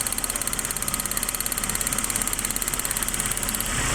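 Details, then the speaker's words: Suzuki APV before repair, with one ignition coil getting no electrical supply: an uneven, shaky idle with a lumpy beat of about three pulses a second. Misfire and engine shaking from the failed coil, which needs replacing. "the problem of this uh car is a one Co only there's no no electric so I need to replace this one coil there an engine shaking"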